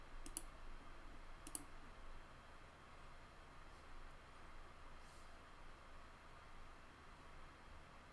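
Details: Water-damaged Amiga 600 Panasonic floppy drive: a couple of sharp ticks over a low steady hum, then little else; head seeks back toward track 0 but never reads the disk, owner suspects seized motor or old lubricant.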